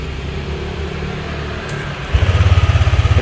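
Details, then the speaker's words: Honda Vario 150 scooter engine catches at once and settles to a steady, even idle after replacing the rusted spark plug cap that caused sparking and stumbling (brebet); earlier starting was difficult. "ya itu udah enak, jadi nggak kayak tadi itu susah ya."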